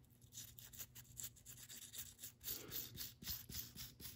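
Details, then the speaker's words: Unoiled hydraulic lifter roller from a 1997 Mustang Cobra engine rebuild, spun by hand: dry, gritty rasping whir with quick rough pulses, much louder than an oiled roller. "definitely makes a lot more noise so let's keep boiling these"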